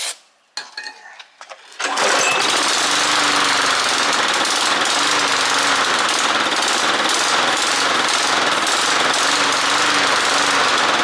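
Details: Toro or Poulan push mower, small single-cylinder engine after carburetor jets cleaned in an ultrasonic cleaner and fresh gas added, primer suspected not working: catches after a couple of false starts, then runs steady and even with slight hunting.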